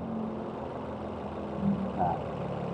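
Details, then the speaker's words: Used 2017 Suzuki Ignis manual four-cylinder, fuel-injected, engine warm, low-rpm idle during a pre-purchase check: quiet, soft, even idle murmur with no ticks or roughness; injection very smooth, healthy warm idle. "Heles ini mesin hai Suzuki ignis 2017 manual biasa coba hayo dengarkan di putaran mesin bawah Hai yang dihasilkan dari empat silinder English 2017 varian manual ini dari sistem injeksinya sangat halus"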